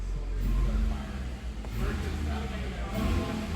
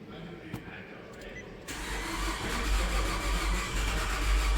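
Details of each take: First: 2011 Nissan Altima after engine swap (old engine used 1 quart of oil a week), first start, smoke cloud at rear, before bleeding coolant: low, steady rumble with a smooth even beat and no knocks or ticks; normal idle. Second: 2011 Nissan Altima on its first start after an engine swap, the old engine having used a quart of oil a week, on a weak battery. Slow, laboured cranking at about three beats per second with no catch, sounding like no compression. Slow crank, no start.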